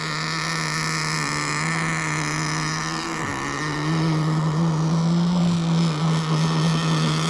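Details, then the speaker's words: Kyosho Jetstream 1000 nitro boat, GT32 marine engine after cleaning: buzzy, wavering note at low throttle, then pitch rises; engine tends to load up and nearly die at low throttle. Rough running at low throttle. "sounds like she's starting to get unhappy we're going to let her slowboat around for a"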